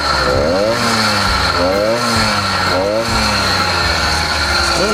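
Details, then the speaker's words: Newly ported 80cc motorized bicycle two-stroke, warmed to operating temperature on a cold day: engine note rises, sags and stumbles, struggling for power and seemingly four-stroking and bogging; owner unsure of jetting, plans to try leaning it out. "to me it sounds like it's struggling to make power but at the same time it's also sounding like it's for stroking"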